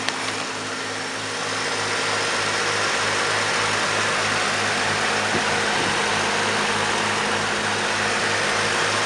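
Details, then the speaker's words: 1951 Chevrolet pickup, rebuilt 235 inline-six: smooth, even idle with steady beat of about four per second, no knocks or misses; runs perfect. Normal idle. "it's a 235 runs like an absolute top just runs perfect"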